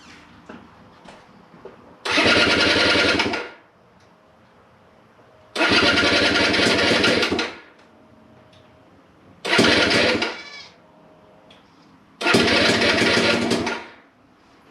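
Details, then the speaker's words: GPX Moto TSE250R dirt bike, first start after SmartCarb install, in neutral, choke applied, possibly a little cold: four short bursts dying back between them, catches briefly but won't keep running; cause unconfirmed. "give it some choke. Might be a little cold. First starting."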